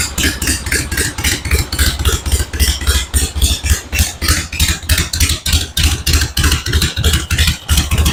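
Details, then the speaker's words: 1974 Harley-Davidson Ironhead XLH Sportster chopper after the ignition points plate and timing were adjusted: steady loping V-twin idle, about three and a half even beats a second, no misses; much smoother than before. "okay I'm happy with that sounds a whole lot better it's a whole lot smoother it's got a good L to it now"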